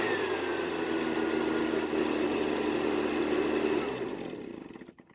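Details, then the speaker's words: Husqvarna backpack blower after storage, repaired with throttle cable retainer and air filter replaced: smooth, steady two-stroke drone for about four seconds, then shut off and spinning down cleanly; runs normally, though it later started hard when about 15° cooler. "so as you just saw it didn't have any issues starting and running and everything went according to plan"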